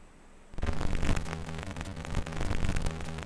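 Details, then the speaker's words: FPGA SID sound chip in a Neo 128 with clock delayed through 74LS14 inverter gates: garbled, buzzy chip music with static-like hash, low hum, smeared broken notes; corrupted output improving slightly with more gate delay but still scratchy, cause not confirmed. "all right the pul clock still sounds like crap two gates down still sounds like crap starting to clean up a little getting there still a bit"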